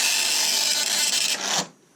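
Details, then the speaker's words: 1984 Commodore MPS 801 dot matrix printer in test mode in 2021 with dry ink ribbon: dense raspy print-head buzz for about a second and a half, then stops cleanly; normal printing. "There you go. Printing with a 1984 printer in 2021."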